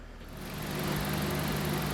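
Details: 2008 Dodge Caliber four-cylinder after spark plug replacement fixed jerking and hesitation: an even, steady idle hum with a smooth low drone and no stumbles. It sounds healthy.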